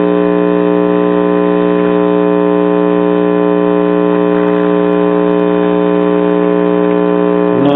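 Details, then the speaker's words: Early-to-mid-1960s Truetest Stereo 8 series-string (hot chassis) tube amplifier: loud steady buzzy mains hum as soon as a signal source is connected, quiet when unplugged; ground loop problem. "clicking on a signal source it starts humming like a son of a gun"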